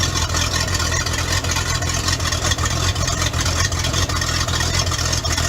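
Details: Bayliner boat V8 marine engine, cold evening before winterizing, after a dead battery and a starter suspected to be failing: even, steady burble with no knocks or misses; running normally.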